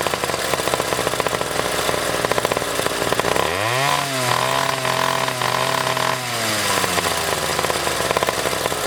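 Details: Pocket bike two-stroke engine after a carburetor tune-up: revs up to a high buzzing scream, then stumbles and breaks up unevenly at the top end. Still a top-end sputter.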